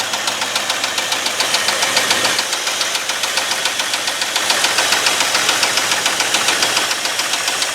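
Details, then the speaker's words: 1989 Ford F250 5.8L V8 after cleanup, battery and fuel injector wire fixes: loud, steady running with an even, regular pulse and no knock or miss; runs normally, just noisy. "all right it actually sounds like a normal engine for once you do that"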